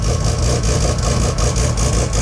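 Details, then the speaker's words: Mazda RX2 rotary race car, first start after a couple of months, fired first time with good oil pressure: deep, choppy, fast-pulsing but steady lumpy rotary idle. Healthy engine, normal idle. "fired first time off the key which is pretty good for a couple of months pretty good for a race car too means your engine is pretty healthy"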